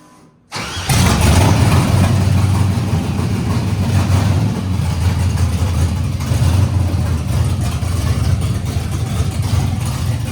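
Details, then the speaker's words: LS-swapped Nissan D21 Hardbody, junkyard LS V8 with Summit cam and truck intake, fuel leak present: cranks and catches then lumpy, uneven loping idle; running on seven cylinders, one cylinder dead. "um did you do that oh it's written on seven cylinders and that last clip starts fast man"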